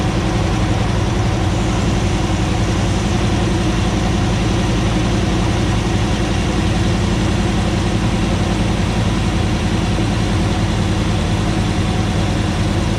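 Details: 2009 Ram 1500 Hemi V8 first start after engine rebuild, about 80 psi fuel pressure at idle: lumpy, uneven idle with repeating loping stumble and shaking, a cylinder misfiring; owner hopes it clears as the long-unplugged ECU relearns.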